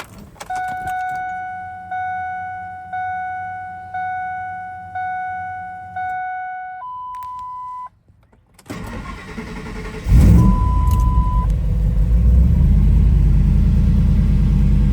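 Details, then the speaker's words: Built Ford SVT Lightning truck on a Holley Terminator X with self-tuned startup tune, heard from the cab; warning chimes, brief crank catches quickly, flares, then the IAC takes over into an even steady idle; clean start. "So you can see here, I've been doing some tuning on my own, and I have a great startup tune. Obviously, you can hear how it starts, and the IAC takes over."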